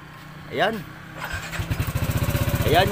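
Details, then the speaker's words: Yamaha NMAX 155 scooter, noisy engine: after start-up a loose, uneven clatter on idle at about four beats a second, heard from both sides; worn rocker arm roller and damaged camshaft. "so ang problema ay maingay ang makina"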